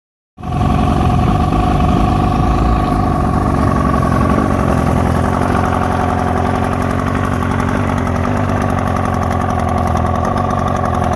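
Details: 1972 Mercury 402 40HP outboard with a newly fitted water pump that is working well: idle pulses come unevenly, stumbling and surging, a rough idle whose cause is not yet found.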